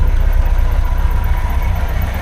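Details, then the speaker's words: Triumph Herald Estate: low idle with an uneven pulsing beat that never settles, unchanged by timing and mixture tweaks (lift pin shows the mixture slightly rich). It revs on throttle without dying, and the carb is suspected, to be tested by swapping in a known-good carb. "It's not going to die. You just touch the throttle and it revs up, and you can feel it's just a bit lumpy."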